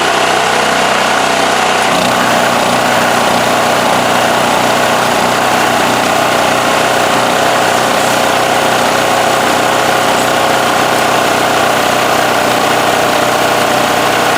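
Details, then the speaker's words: Westinghouse WH7000EC 7,000 W generator running with its plugged spark arrestor removed; even, steady drone pulsing about twice per second, no misses or surges. "All right, so it's running pretty good, as you could see. I put my air compressor on."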